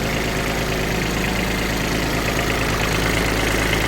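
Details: Kubota Aste A-13 mini tractor diesel, idling with the hood open: even, steady clatter with a regular beat and no knocks or misses; normal idle.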